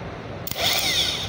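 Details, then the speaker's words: Surplus starter from a 4JG2 engine that wouldn't start, tested on the bench after cleaning the contactor and carbon brush contacts; sharp click then fast high whir spinning up steadily without grinding, a normal starter spin, though the thin test wire gets hot. "oh so Ayan function na siya guys anginit pa maliit lang yung wire"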